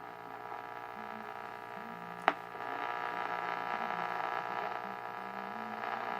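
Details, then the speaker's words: 1929 Radiola 66 superhet radio, cabinetless, after interstage transformer replacement and alignment, still on original paper filter capacitors: clear station audio with absolutely no filter hum underneath. "then you can hear that there's absolutely no filter hum or anything"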